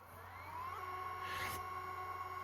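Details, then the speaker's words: Sony CCD-SC55 Hi8 camcorder after head drum and LCD replacement and fully rebuilt transport, in fast forward: only a faint smooth steady whir, no clicking or ticking; nice and silent, normal tape transport. "we'll just fast forward it a little bit. And you can hear how silent it is now. There's no clicking, no nothing. It's nice and silent. Transport was fully rebuilt."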